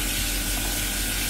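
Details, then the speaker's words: Vaillant VCW 242E combi boiler with no central heating issue: hot water demand moves servo valve lever to make microswitch, pump runs and burner fires, steady even combustion roar over low pump hum, no popping; clean ignition. "and just going to turn it on the pump runs the burn is fired"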